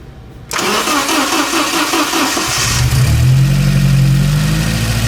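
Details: Porsche 924 Turbo, long-sitting, with new spark plug wires, vacuum hose to the distributor retard reconnected: starter churns about two seconds, then the engine catches cleanly and settles into a steady even idle. Normal start.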